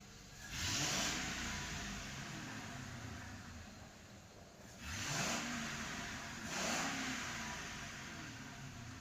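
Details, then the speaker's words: Car that had set misfire codes (P0300), after the fault codes were cleared: three quick petrol engine throttle blips, each rising and falling smoothly with no stumble or popping. No fault codes; normal revving with no misfire. "हमें जितना accelerate करके जो है देखना था हमने देख लिया है। कोई फाल्ट दिख नहीं रहा है।"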